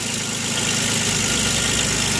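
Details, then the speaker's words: Chevrolet Equinox after repair of both blown head gaskets, machined heads, new exhaust studs, radiator, coolant and water pump: steady, even idle with a smooth hum and no knocks, ticks or misses; runs like new. "let me go ahead and start it up for you here runs like brand new"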